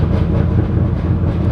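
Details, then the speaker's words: Twin-turbo Corvette of about 2000 hp: heavy, lumpy idle with loose torque-tube rattle that clears above 2,000 rpm; fuel and oil pressure good, no smoking, scavenger pump working. "The torque tube just sounds bad. As soon as it gets over 2,000 RPMs, it clears up. I know y'all can hear how bad it sounds. Really just does it bad at idle."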